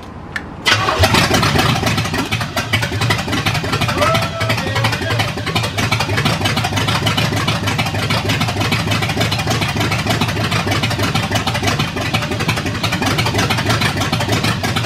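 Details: Cadillac 350 V8 after the battery was recharged: a quick catch and fire, then a lumpy but steady idle with a slight rev and no misses. It starts and runs normally.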